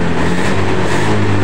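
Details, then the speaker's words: Honda Beat eSP scooter brought in for a battery that would not charge and a wrongly diagnosed dead ECU, idling with a known-good battery fitted: steady, even low hum with no knocks or stumbles; normal idle. "ini normal ya tidak ada masalah karena kita pasang aki yang normal punya saya ya"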